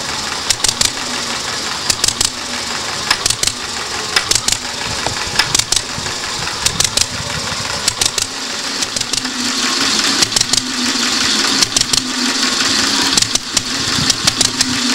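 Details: 30-60 tractor engine run as alternator hybrid, after cam timing, mixer venturi and ignition timing tuning: sharp bunched ticks, with an occasional loud click as cylinder 1's valve unlatches and snaps shut prematurely.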